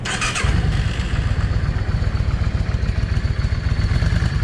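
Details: Cold Yamaha 650 V Star with a drilled exhaust. Lumpy idle with sharp pops from the front (#1) exhaust; blued pipe suggests a lean front cylinder. Owner suspects a clogged idle jet. Rear cylinder is fine, and it runs okay once warm.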